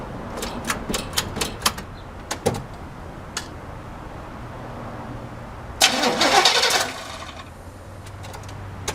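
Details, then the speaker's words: Long-stored El Camino with new Optima side-post battery, engine not seized, bad-smelling old gas at the carb fuel filter: bursts of cranking with clicks, then a longer free crank that never catches; crank no start from stale fuel and clogged fuel filter. "And I am smelling some really bad old gas, so let's put this side right here."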